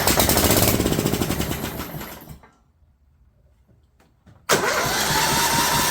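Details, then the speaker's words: John Deere LT150 with a swapped-in 15 HP Kohler engine: harsh, loud single-cylinder bark that dies, then fires back up just as noisy; owner suspects the muffler isn't tightened correctly, unconfirmed. "sure seems noisy did I not get the muffler correctly tighten let me check it"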